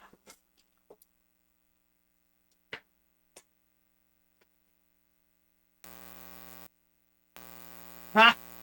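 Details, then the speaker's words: Small handling clicks, then a steady low buzz cutting in and out on a live-stream audio feed as a Wii U GamePad charges with the aux cable plugged in: ground-loop buzz from the charging device on the aux line. "I thought it was just me leaving it in no I it's me leaving it in while it's charging that's the problem"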